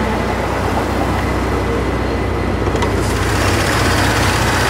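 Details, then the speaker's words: 1984 Corvette 4+3 manual, running after sitting most of two years, hood open with belts turning: even settled idle, smooth low rumble, no squeal, chirp or knock, normal idle. "cars running idling normal and fine"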